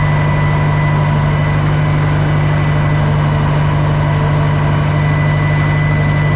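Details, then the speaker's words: Old Caterpillar 955L track loader, long unused, after topping up transmission and another reservoir (thought to be the final drive), working: steady heavy diesel drone with an even low firing beat, no knocks or rattles; engine sounds healthy. "now once I uh fill it up with a proper hydraulic oil things running really good"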